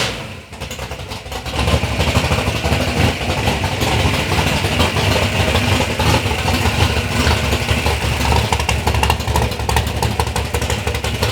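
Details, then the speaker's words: Third-gen Chevy Camaro with big-block Chevy, first start-up after years of building: cranks, catches, firm steady idle with an even lope, no ticking or knocking; normal idle. "all right guys so we got the car fired up that is a big relief off of my chest"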